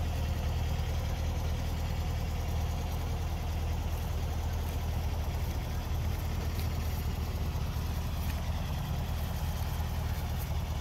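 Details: 1964 VW Beetle (64K original miles) idling: even, low, steady putter with no stumbles or misses; electric choke kicks on cold in the morning and kicks down as the engine warms up, normal idle.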